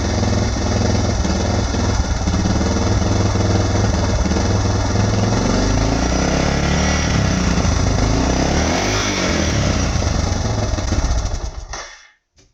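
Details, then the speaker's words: 2006 Suzuki DR650 with FMF header, slip-on exhaust, and drilled airbox and carb slide, idle screw fully in yet still idling low: an uneven single-cylinder thump with wavering firing pulses. Rough, choppy idle, better than before. "It's a little choppy. It's been worse for sure. It doesn't seem as bad."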